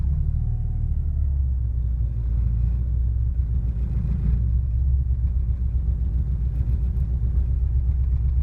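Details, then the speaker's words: 1986 Porsche 944 NA that has become hard to start: a deep rumbling idle wavers in the first seconds, then mostly evens out. Idle stumble after a hard start; the cause is not yet diagnosed. "Mostly settled down now, but pretty hard to start."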